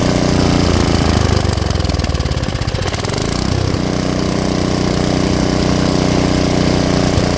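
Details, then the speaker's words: Tecumseh engine on an Ariens rototiller, after setting the low-speed screw gently seated and then out about one turn: steady, even single-cylinder putter holding a settled idle without hunting or stalling. Normal idle. "that should smooth out the idle I should be able to idle this engine without stalling"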